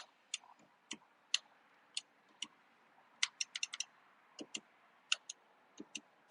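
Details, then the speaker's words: 2004 Ford F-150, windows stopped working after sitting three days under snow and ice; left rear door, sharp uneven clicks about every two seconds from the window motor as the window intermittently moves and quits; suspected wiring issue, not confirmed. "now I can kind of hear it I can hear the motor clicking in there"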